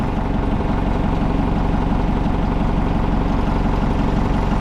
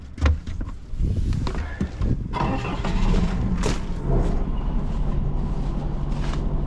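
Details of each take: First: Old Hitachi excavator diesel, abandoned possibly over 10 years, started: even, steady idle at about four firing beats per second, no hunting or stumbling; holds without stalling. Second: Old Hitachi excavator diesel, abandoned possibly over 10 years, revived: rough cranking with scattered knocks, then catches into an uneven, labouring chug and stalls; it's running out of fuel.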